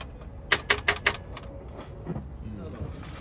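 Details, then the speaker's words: 2012 Ford Fusion, about 118,000 miles, ran days earlier but this morning gives a burst of five sharp rapid clicks then nothing, no cranking or firing, when starting; won't start, cause not stated. "Alright, this one was running the other day, but can't get it to go this morning. As you heard, it's just clicking this morning."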